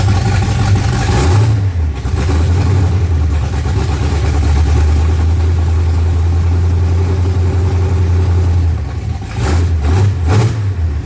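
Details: Freshly built 355 small-block Chevy V8 (double-hump heads) in a '55 Chevy on first fire-up: rough burble rising with a couple of blips, holding a steady low idle, then revving again; running acceptably, normal idle.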